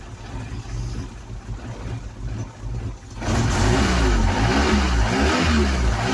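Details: Ford Cortina being revived, fed special petrol, charged battery: engine catches and settles into fast idle with uneven lumpy beat, about four pulses a second; still a little lumpy.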